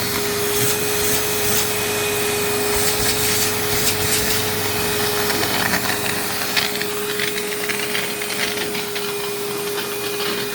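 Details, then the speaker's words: Rebuilt 2001 vacuum with a full bag: steady motor roar, then a rough scrubbing flutter as the brush roll belt breaks. "there goes that belt"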